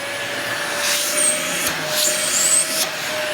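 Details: Dyson DC40 vacuum after hose repair and brush head service: steady high motor whine with even airflow rush and brief surges as the head moves; strong, normal suction running.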